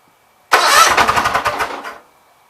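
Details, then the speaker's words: Gravely 8199KT engine at 1931 hours, first start after governor replacement: catches briefly with a rough clattering rattle like a wet bag of hammers, then dies; flywheel appears to be touching something, governor working. "Let's try just a scooch to that. Kind of sounds like a wet bag of hammers at the second."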